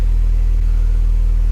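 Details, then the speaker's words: Car left unused 4–5 months with a dead battery (probably under 2 V), just started with a NOCO Boost XL GB50 jump pack: deep, smooth low hum at constant pitch, no misses, taps or rattles; idling steadily and healthy. "That's now running entirely on just the battery. Yeah, that's how good the NOCO is."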